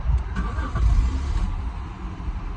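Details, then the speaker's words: 1997 Jaguar XJ6 4.0 petrol straight-six, previously no crank no start, after new battery and replacing 10A fuse no. 8: short deep cranking rumble that quickly catches and runs; normal start. "it starts, and there is no like fuel relay problems or fuse. All that was fine, and that fuse was nothing to do with the actual like fuel and anything else. But it starts now, and that is good old Jaguar."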